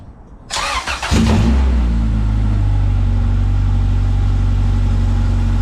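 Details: Honda CRX with a zero-mile rebuilt Honda B20Z engine on first start, new NGK iridium plugs, no cooling system fitted: catches quickly, then settles to a smooth, even idle just under 1,000 rpm with no misses or knocks. Normal.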